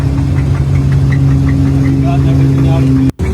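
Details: GM 6.2L V8 Cadillac Escalade with reported engine failure; steady idle with a light regular tick about four times a second; internal engine fault, cause unclear.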